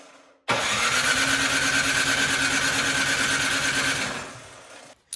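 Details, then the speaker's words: Craftsman snowblower during a tune-up, choke on, key in, electric starter plugged in: starter churns a quick steady rhythm for about four seconds with no firing; cranks but won't start, spark to be checked. "well this machine does not want to start so we're going to check for spark"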